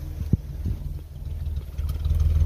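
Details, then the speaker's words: 1950 Chevrolet Fleetline Deluxe, straight six, three-speed column shift, revived after sitting 20 years, heard at the exhaust: soft, even low rumble with a steady beat and nothing rattling; a quiet, normal idle. "there we go it is quiet come on over here and you can hear the exhaust"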